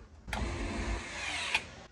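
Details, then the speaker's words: Tesla electronic parking brake caliper fitted to a Jeep and run by a momentary switch: a brief motor whir of about 1.5 s that ends in a loud clamp clunk. Normal electronic parking brake engagement. "you'll hear the wording of the motor engaging the parking brake and you hear it clamp down not trying no one to stop it's pretty loud"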